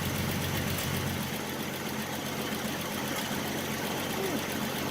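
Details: 1967 Mustang inline six, back running after about 18–20 years sitting, idle: steady with a faintly uneven beat, possibly missing on a cylinder; no rod knock heard and oil pressure good.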